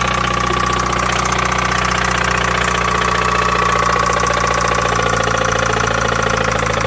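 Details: 1993 Mazda Miata 1.6L petrol, cold start: rough, uneven tapping through the engine note at idle; earlier it ran 30–60 seconds sounding bad and died on its own; knock present, cause not pinned down.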